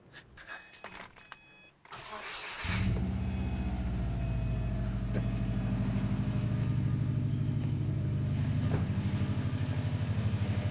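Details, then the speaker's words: Subaru right after an alternator/power steering stretch-fit belt install without special tools: the engine cranks, catches and idles smoothly under electrical load and with steering at full lock, with no belt squeal, bearing whine or other noise. "Looking good. I've let it run. I put some electrical loads on. I put the steering up against the lock just to make sure we're not getting any weird noises."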